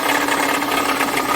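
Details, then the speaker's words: Mercedes-Benz E350 with owner complaints of extraneous engine noise: loud fast rattling clatter with a steady whirring tone at idle, seemingly from the belt-driven accessories, alternator suspected; source unconfirmed before removing the drive belt. "В общем проблема следующая владели жалуются на посторонние звуки при работе двигателя"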